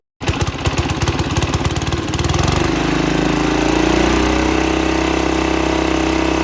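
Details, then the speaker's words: 1968 Sears Suburban 12 diesel with newly finished exhaust and intake catches with sharp barks, then settles into a fast loud chug after air bled from the fuel line; intake and exhaust barely silenced, excessively loud. "she runs but oh my goodness is this thing loud it is loud it is very loud"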